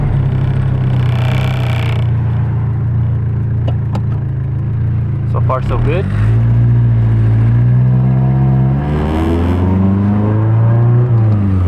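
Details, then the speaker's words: Nissan 240SX KA engine with cruise hesitation, test drive: pulls smoothly through third and fourth gear, pitch climbing evenly, clean shifts, no bogging; healthy. "gear third gear fourth gear there's no bugging whatsoever so it sounds really really good"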